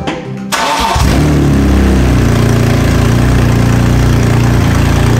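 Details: BMW E46 M3 at 160k miles, first start after VANOS overhaul and reassembly, before the rod bearing job: brief crank, then it catches cleanly into a strong, even run with no knock or rattle; engine sounds healthy.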